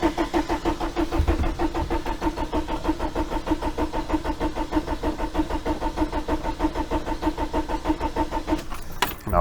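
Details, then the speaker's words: 1987 VW T3 camper with AHU TDI engine after new fuel pump install, injector lines tightened: steady starter churn about three compressions per second for nine seconds, never firing; cranks freely but won't start; fuel not pulling through, pump timing questioned. "this is cranking over freely anyway so it doesn't seem to doesn't sound like there's anything untoward there"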